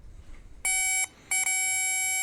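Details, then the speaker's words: 2002 Mitsubishi Lancer 2.0 with P0403 (previously P0401), EGR control solenoid bench test: two clear high steady multimeter beeps showing continuity on the new solenoid coil; old solenoid dead. "now i give it power [Music] you can clearly hear the click now i'm gonna turn off this little noise you can clearly hear the click and that shows us that the new one is good and the bad one is completely dead"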